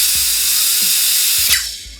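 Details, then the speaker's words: Airsoft gun gearbox after spur gear shimming, spun with canned air: gears wind down smoothly with no catching, clicking or rough spots; gears turn freely. "Oh, perfect. You hear it? Oh, it's perfect. All right. Now that we have the spur gear shimmed perfectly, it's time for the last gear, the sector gear."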